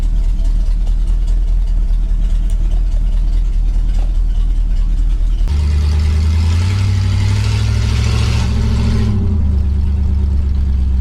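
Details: 1965 Pontiac Catalina V8 after Rochester 2-barrel carburetor cleaning and new gasket: deep steady idle picks up cleanly on a throttle blip and settles back smoothly; running healthy.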